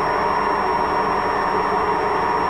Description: So hört sich eine Waschmaschine mit Lagerschaden an.